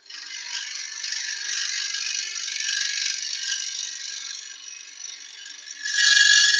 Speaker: It cuts beautifully, but that thin bit at the end just gives a little bit of vibration. Still does the job, but as you can hear, you'll hear that screech.